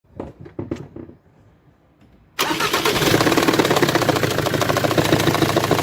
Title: ATTENTION!! Engine noise caused by damaged CYLINDER HEAD, Jaguar X Type 2.0d, Ford engine